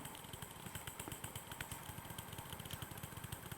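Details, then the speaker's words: Model P2 Cock O North locomotive motor, removed and held in the hand while running: sharp regular knocks about eleven per second over a buzzing whir. The motor is banging internally and is confirmed as the fault. "and that is banging away between my thumb and finger can you hear it I suppose you can that's horrible that is definitely the motor though definitely"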